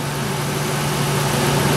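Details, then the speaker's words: IAC valve test using a bi-directional scan tool, IAC commanded down to 50%: steady, even low hum with no misses or hunting, engine responding quickly and settling smoothly; normal idle. "I'm going to go down to 50 know the engine responds very quickly"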